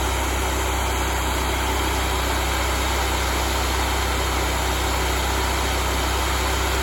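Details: Honda GX630 V-twin just restarted after a smoked camshaft, with new oil, before a tachometer check and setting to 3600 rpm. An even, steady drone with a regular beat and no skipped firing: running normally.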